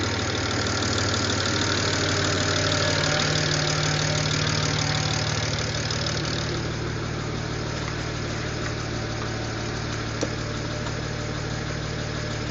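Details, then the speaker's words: BMW N54, first start after installing index 12 injectors and sitting all winter: an even idle with a light tick about three times a second; owner suspects lifter tick until oil pressure builds, and maybe a slight misfire. "think because it's been sitting for a while, that's just like lifter tick. Once it gets oil pressure, it'll be fine."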